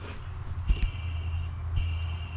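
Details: Hand-spun belt pulley on a Mustang GT supercharger, with the belt loosened and intake piping removed, turns quietly with a faint even whir and no grinding or rumble, so its bearing is good.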